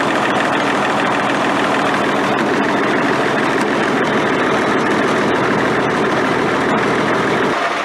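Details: Military Deuce 'n a Half diesel truck idling after an ether start, with fuel delivery problems and a suspected air leak: steady, even diesel clatter with no stumble or miss.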